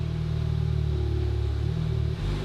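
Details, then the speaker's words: Crash-damaged VW Mk7 Golf R, keyless start, engine cold with no cooling, not revved: a low, smooth, even rumble at a steady idle with no knocks or misses; normal cold idle. "i don't want to rev it it's cold and there's no cooling but it's running it's driving"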